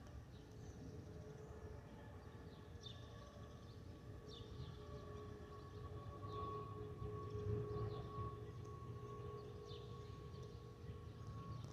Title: Delta Airlines Airbus A320-212 N360NW DL2342 BUF-DTW (FOPP whistling sound)